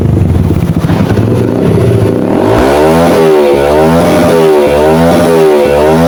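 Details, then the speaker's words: Yamaha XTZ125 after fix, new CDI given constant 12-volt supply through an added automotive fuse tapped from the fuse box: repeated clean revs rise and fall smoothly without misses, pulls evenly at high rpm. "Yan lang po ang kanyang problema mga kabuting thing and naglagay lang tayo ng fuse para mapasukan ng 12 volts yung ating cdi para kapag nag-high rib tayo may constant supply siya na 12 volts"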